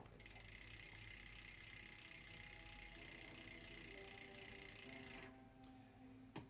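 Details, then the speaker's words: Mountain bike rear derailleur after backing off excess cable tension: smooth even chain whir while pedalling, no tapping or grabbing of the next cog; properly indexed, normal quiet shifting. "And so what we're going to do is we're just going to back off until it's on the gear where it should be. We should no longer hear that grabbing of the next link"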